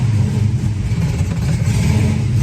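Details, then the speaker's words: 1966 Mustang GT fastback V8, four-speed, mild cam, cold start before new exhaust replaces original system: deep, lumpy burble rising and falling with throttle blips, even firing; healthy cold engine. "so it's cold at the moment but it'll warm up and run real nice to that exhaust"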